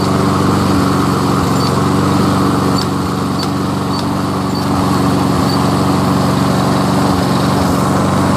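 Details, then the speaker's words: Free curbside Toro SR4 Super Recycler 20381 push mower with Chinese clone engine, run without air filter: steady idle with low putter that dips and stumbles every second or so; hesitating, owner suspects grass sucked in, plans carburettor teardown. "Better if some propulsion work. It's kind of hesitating. Hear that?"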